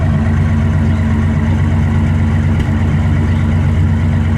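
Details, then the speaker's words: 1965 Imperial Crown Convertible, 413 cu in V8, automatic, electronic ignition fitted. Just after start-up, following a slightly high idle, it settles into a deep, steady idle with an even beat and no misses or knocks, running smoothly. "Pretty smooth right there. Go ahead, give it a rev."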